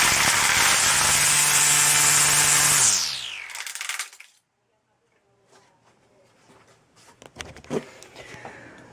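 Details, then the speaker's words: HART 40V string trimmer HLST01VNM, about 14 months old, after original motor burned out and was replaced with new motor: high smooth whine holds steady a few seconds then winds down evenly, no grinding or catching; runs fine. "as you say it's working good with the new motor but for how long that's the big question"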